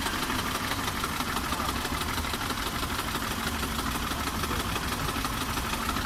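Steady idle with a light, fairly quick tapping riding over the engine note; a knock is present, source not pinned down.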